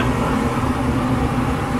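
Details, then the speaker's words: Dometic furnace in a Keystone Cougar RV, refitted after access work and gas-leak check: steady whooshing burner roar with constant low blower hum, no rattles or surging; running normally. "so now we're going to fire it up and see if it works you can hear the burner now"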